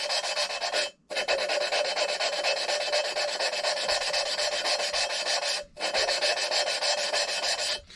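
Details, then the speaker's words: Hand-lapping a valve on an LS4 head (Grand Prix GXP AFM/DOD delete), spinning and turning it about 60° at a time: harsh, gritty back-and-forth rasping with brief pauses; the compound is still cutting because valve and seat have not mated. "you'll kind of hear it once you start having the two surfaces really start to meet up you'll kind of start to uh you'll start to really kind of hear it smooth out a little bit it won't be so gritty and harsh"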